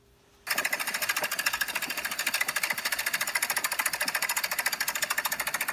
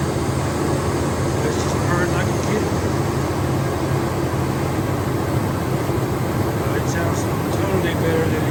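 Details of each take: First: 1999 Dodge Durango 5.9 360 V8 before top-end rebuild, running rough with little power: a fast, busy metallic valvetrain clatter at about three and a half beats a second, from a broken valve spring and bent pushrod. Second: 1999 Dodge Durango 5.9 360 Magnum V8 after top-end rebuild fixing bent pushrod and broken valve spring (had run rough, no power): steady, even low rumble with no ticks or knocks; normal idle.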